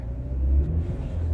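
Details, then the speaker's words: Mercedes-Benz M264 engine after replacing the exhaust valve guides on all four cylinders to cure a misfire; a deep, even rumble swells twice with throttle blips, with no misfire or ticking: normal revving after repair. "好，给2脚油，听一下声浪，非常完美啊。"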